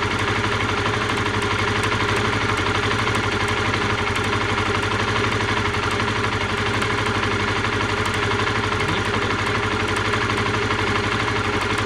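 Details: Honda CBR125R single-cylinder idle with sharp, fast ticking about four per second, first heard while riding; spark arcing from a rusted plug lead, rust cleaned as a stopgap, lead replacement suggested.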